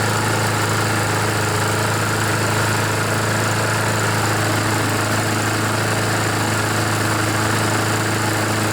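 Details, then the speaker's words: Honda GCV engine on a lawnmower, still not fully warmed and needing some choke, burning off oil that had soaked the air filter and muffler; smooth steady drone with no misfire, surging or knocking, smoke clearing within minutes: normal running. "guess it still needs some choke here it didn't warm up enough just watch it'll stop smoking after a bit"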